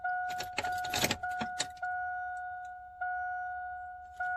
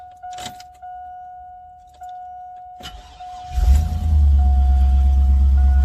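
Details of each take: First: 2001 Silverado 2500 at key-on after fuel pump replacement: keys jingle and only the dash chime sounds, no fuel pump whine; pump not priming, cause not yet confirmed. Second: 2001 Chevrolet Silverado 2500 that would not start, after reconnecting an unplugged connector under the truck: door chimes, short crank, engine catches at once and settles into a smooth even idle; normal start and idle.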